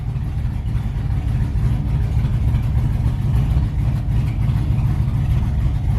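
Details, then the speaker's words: LS-swapped Chevy S10 drag truck on the stock ECU, still being tuned: deep, lumpy rumble that hangs above idle after revving instead of dropping straight back down, so the engine is slow to return to idle. "it's not the end of the world it's just it'd be nice if it went right back down to idle"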